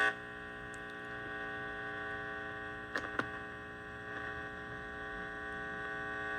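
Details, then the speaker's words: Heathkit IT-12 tube signal tracer with its probe set to RF: a steady low mains buzz with no signal, only a couple of brief clicks; the probe ground wire is shorted, and an ungrounded probe ground brings in all kinds of noise. "Now, if you don't ground out this right here to something, uh, you're going to get all kind of noise inside this machine. So, just expect that."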